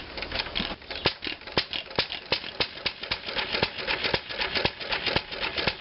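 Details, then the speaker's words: Antique flywheel engine fitted with a homemade glasspack muffler to mellow the sharp exhaust sound. Sharp, even pops about twice a second with a softened exhaust note and no clatter, running healthy. "Now we've got a glass pack muffler. Now, let's start that engine up and see what it sounds like out there."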